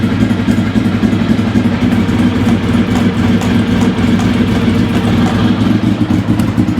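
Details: Engine just started after standing four years, not revved hard; rough, lumpy idle with light tick about four per second, cause not yet found.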